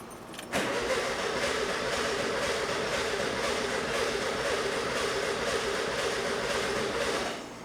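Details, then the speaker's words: 1976 VW Super Beetle, ignition known faulty: steady starter cranking at about four beats a second without firing; little fuel reaching the filter, suspected weak pump. "No, there's stuff going into it. I think the filter is soaking up most of it, but really I feel there should be more."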